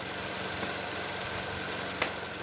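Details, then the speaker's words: 2008 Mini Cooper Clubman bought as a runs-and-drives auction car, warm idle: uneven, shaky hum with faint irregular knocking over a steady hiss, noticeable vibration, no check engine light; rough idle, cause not yet pinned down, spark plugs later found badly overdue. "Got a vibration. So, it's definitely not running its best."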